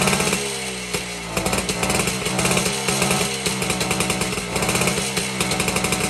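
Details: 1952 BSA D1 Bantam two-stroke engine on a test rig, first start in over two years, carburetor tickled to start; fast, even crackle firing steadily with no misses or knocks; normal running.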